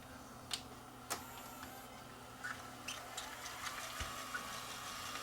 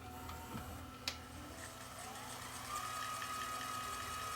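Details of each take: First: Sony CCD-TR94 camcorder that shuts down seconds into play: faint, irregular clicks and ticks from the tape mechanism in fast forward suggest a possible mechanical problem, cause unknown. Abnormal clicking noise. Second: Sony CCD-TR94 camcorder that shuts down after a few seconds on play and has a clogged head giving a snowy picture. Tape transport in fast forward gives a light whir and soft whine with no grinding, though an odd noise was heard earlier; normal.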